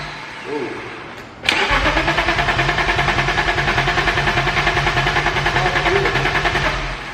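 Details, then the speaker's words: Steady starter churn, about three beats a second for five seconds, never catching: BMW E34 525 restored after a blower motor fire, second attempt after swapping crank and cam sensors. "Time to troubleshoot. We're gonna start with relays. I'm gonna jumper the fuel pump relay and make sure that we do in fact have a fuel pump that will kick on, and then we'll go from there."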